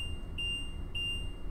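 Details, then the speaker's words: Winnebago motorhome with Power Jack leveling system, engine running, after resetting the zero point: steady high beeps almost two a second, a warning buzzer that the leveling jacks are still down. "as you can hear the beeping sound that is a warning buzzer letting you know your jacks are down so you don't accidentally drive away with your jacks extended"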